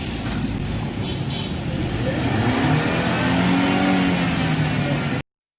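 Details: 2008 Mercedes-Benz C200 petrol engine revving smoothly and evenly after fixing a P0302 misfire, which was caused by water at the spark plug; now runs healthy.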